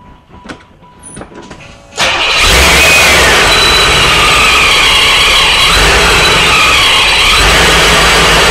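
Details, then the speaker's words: Supercharged Corvette V8 during first start-ups, after an oil cooler housing seal leak was found: constant high hiss over the idle; vacuum leak heard, traced to part of the intake. "I'm hearing a vacuum leak in here are you really yeah oh great now we got a vacuum leak issue"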